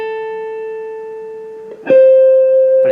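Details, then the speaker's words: Orange Crush 35RT amp after replacing the buzzing original speaker (part PT-SPKR-CR35-4), recorded with camcorder onboard mic: single guitar notes ring clean and steady, no buzz or rattle. "totally clear might actually sound better than mine on broken orange amp"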